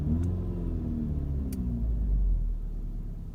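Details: Mk6 GTI idling rough after a hot restart (driven to operating temperature, then off about 15–20 minutes): a low, uneven rumble that surges and sags with no steady beat, and the car stalls at times. This happens randomly and the cause is unknown.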